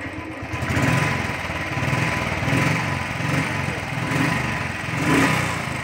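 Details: Royal Enfield Thunderbird 350 single-cylinder after repair: it had a starting problem and misfiring, and the butterfly was replaced. It now thumps along at a steady, even beat with no stumbles or pops, running clean and healthy.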